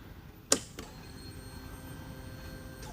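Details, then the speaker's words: SCAG Cheetah II mower, newly replaced high-pressure fuel pump: faint steady high-pitched whine after a couple of clicks, much higher pitch than the factory pump; pump running normally as it begins priming. "I can definitely hear it running this time. It sounds different. It has a overall completely different sound than the factory pump. It has a much higher pitch whine to it whenever it's operating."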